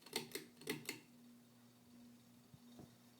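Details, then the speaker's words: Ceiling fan, 52" King of Fans "Helmsman" hugger, antique brass, five oak/cane blades, 3-speed reversible motor, estimated circa 1991, running on low: sharp rattling knocks then steady low hum with ticks, like a distant jackhammer; owner suspects bearings, and the noise rises with speed. "It has a distinct noise emanating from it. Sounds kind of like a jackhammer off in the distance."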